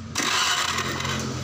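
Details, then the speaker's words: Honda Vario Techno 125 scooter that died suddenly while riding; lights, indicators and horn work with key on, but the starter cranks steadily with no firing and it won't start. No spark at the plug or coil lead, so ignition loss. "Di starter dia jalan tuh, jalan tapi nggak mau hidup ya."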